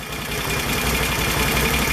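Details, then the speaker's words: Can-Am ATV CVT clutch idling after slider shoe replacement (also rebuilt one-way clutch, new belt): steady, even idle with a smooth low pulse and no rattle underneath; the old clutch clatter is gone. "there's no noise that is amazing fifty dollars shuts all that rattle off wow i could have done that two years ago"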